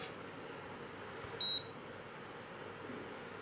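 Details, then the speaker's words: Induction cooker with the earlier plate put back on: short high beeps about two seconds apart in a quiet room; it won't switch on and shows an error code; no-pan detected beep. "ඉස්සෙල්ලා අර ආයෙ තිබුවාගේ තියන්නම්කෝ on උන්නේ නැහැ නේ light එකේ හින්දා පේන්නේ නැහැ දැන් පේනවනේ ඔන්න ඒක on වෙන්නේ නැහැ"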